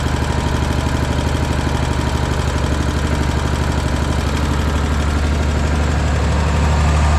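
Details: Agri-Fab Mow & Vac leaf vacuum Briggs & Stratton single-cylinder, sat about a year, said to need new engine; after valve adjustment raised compression to ~25 psi, new nut, breather hose refit: first start runs smooth, steady even low chug, no misses or knocks; normal running.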